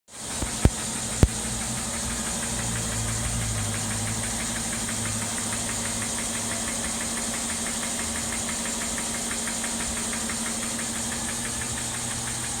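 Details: 2012 Mercedes-Benz ML350 V6 at idle: a fast, light ticking knock at roughly a hundred-odd per minute. Source unclear; Xentry topic LI05.10-P-056435 referenced.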